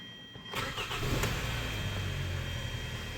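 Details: 2013 Hyundai Sonata 2.4L GDI after high-pressure fuel pump replacement, which cured long cranking: short crank, then it catches at once and settles into an even, steady idle with no misses; a clean start.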